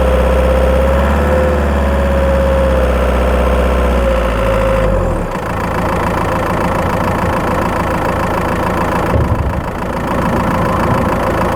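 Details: Skoda Octavia 1.9 TDI PD diesel, microphone in battery box while driving: light, fairly regular ticking chirp about three or four per second, mainly when accelerating; cause unknown.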